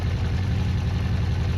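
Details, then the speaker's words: Honda CB400 Four under restoration, after carburetor work and tightening loose tappets, on a freezing cold day: smooth, even low burble at steady idle with no misses or tapping; running sweet and healthy. "You know, stressing like mad with the carburetors, and oh god, I'm just well happy now. That sounds flipping lovely."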